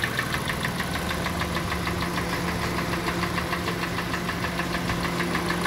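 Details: 2014 Kia Sportage 2.4 G4NA at 146,800 km, not fully warm, before repair: steady ticking knock about three per second over the idle; internal engine knock with scuffing (zadiry) expected inside.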